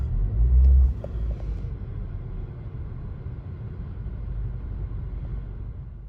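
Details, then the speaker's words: Buick Encore Ecotec idling about 15 minutes warming up after both coolant temperature sensors replaced (code P00B7, false overheating, hard cranking): low steady rumble, no knocks, misses or whine, a little more responsive, started right up; normal warm idle. "it's been out here about 15 minutes warming up sounds a little more responsive maybe maybe it's just me but it definitely started right up"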